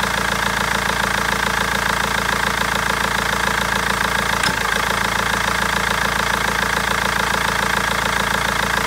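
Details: BMW 320d diesel idling with a sharp, steady tapping about 140 a minute and an uneven misfiring beat; injectors or tappet suspected, but garage and seller have not found the cause in over a month.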